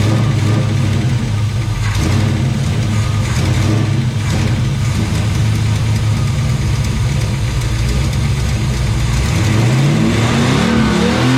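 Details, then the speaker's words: Chevelle that sat 15+ years in a barn and caught fire the last time it ran, now fed by a new electric fuel pump replacing the mechanical one: deep, even V8 rumble idling smoothly and blipping cleanly. It starts and runs normally. "It runs. It melted my zip tie bracket, but I guess that's okay."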